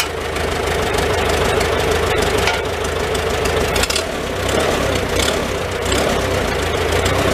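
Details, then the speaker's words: Old Farmall petrol tractor started on choke, in neutral: steady, even idle with a low throb and no misses; normal idle. "okay guys a little smoky in here yeah you don't want to run it too long in here so uh that's not running too bad now"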